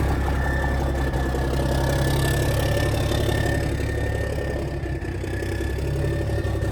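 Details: 1987 cabover truck diesel, first start in years after new batteries, cold: even steady low rumble at idle with no knocks or misses, oil pressure about 40; normal idle.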